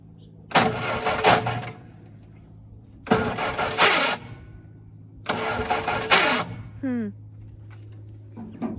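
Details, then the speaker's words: 1966 Jeep CJ5 farm auction find after fuel pump work. Three bursts of even starter cranking, each just over a second, with no start; spark is present, and the starter is a concern. "well it sounds like it did before the fuel pump yeah huh what is that you think starter this may foil us"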